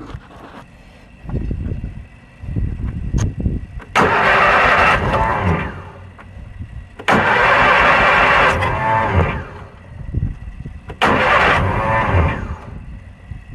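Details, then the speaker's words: Kohler Magnum 20 mower engine, first start after repairs, jumped at 12 volts: three cranking bursts with the starter whining and disengaging before catching; starter magnets are broken. "You know, when you hear that starter going meow and it disengages, that's because them magnets are broken."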